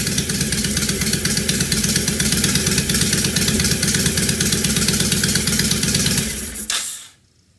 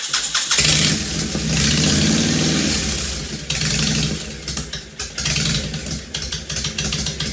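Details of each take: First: 2005 Honda VTX1300 V-twin after repair, air cleaner off, mic off the lapel: loud lumpy beat holding a steady idle before shutting off; runs significantly better, idles easily where it barely would before. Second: 2005 Honda VTX1300 V-twin, below operating temperature, half an exhaust pipe missing: cranks and catches, then blips unevenly with a stumbling, hunting idle; rough running suspected from vacuum leaks, fuel-related, dies off throttle at speed.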